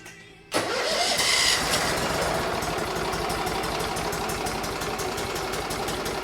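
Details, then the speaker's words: 2006 Mud Buddy HD Mini surface drive with 23 HP Briggs Vanguard engine test run before replacing stock muffler: short crank then steady, even lawnmower-like putter with no knocks or misses; sounds healthy. "Yeah, we're gonna change out the exhaust, but so try and really listen to see what this sounds like. It's gonna sound like a lawnmower."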